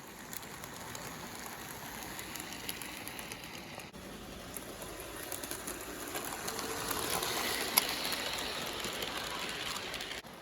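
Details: AHM/Rivarossi 2-8-2 Mikado model steam locomotive, unrun about 15 years, after tune-up, running forward on track pulling a few cars: soft even rolling clatter with quick regular wheel clicks growing louder on approach; runs normally.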